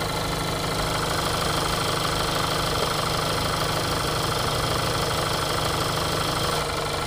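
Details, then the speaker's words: Petrol engine idling with a fast, light ticking of about two taps a second, before adding Lucas TB Zinc Plus ZDDP oil additive. "first we'll start off by showing you guys just how much noise this engine has before using the formula"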